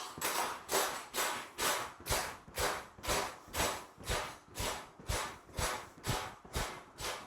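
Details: Brand-new trifold Cellerciser rebounder just after its springs were oiled with 3-in-1 oil. A faint squeaky, scratchy burst on each bounce, about two a second, fading as the oil works in. Dry springs squeaking.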